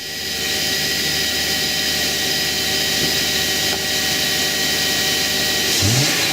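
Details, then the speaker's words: 2012 Subaru Outback 3.6R, 3.6-litre H6 engine, 157K miles: revs up cleanly and smoothly and settles back with no knocks, rattles or misfires; healthy engine revving. "on h6 which is the three point six our engine it's not the 2.5 litre engine yes and the engine sounds good I'll rub it up a little bit"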